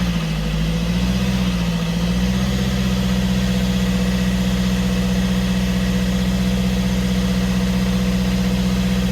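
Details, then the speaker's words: Fiat 500 diesel with replaced engine, after DPF swap that ended earlier plumes of smoke: steady idle, a gentle blip of revs and settling back to smooth even running with no knocks or rattles; normal revving. "it's running and whereas before we have plumes of smoke coming out now we've changed DPF over at the moment"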